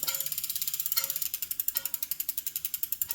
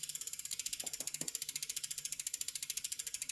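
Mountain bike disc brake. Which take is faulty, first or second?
first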